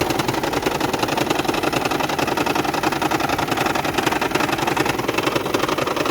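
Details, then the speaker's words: 2010 Toyota Prius hybrid engine rattling, shaking and misfiring with no stored codes: uneven, rattly idle with rough pulsing around 160 a minute; EGR valve plunger found stuck open, not sealing its seat. "unfortunately this egr valve flanger plunger is stuck open as you can see"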